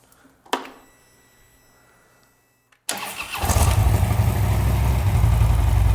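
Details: Harley Twin Cam touring bagger just fitted with Cobra Power Port dual head pipes, first start: after a quiet pause engine catches and settles into a deep, steady rumble; sounds strong and healthy.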